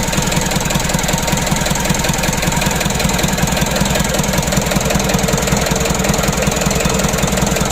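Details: Mitsubishi Canter 136 PS HDL diesel, first start after rebuild following overheating: even, steady idle clatter of about two and a half beats a second with no misses or knocks; runs smoothly.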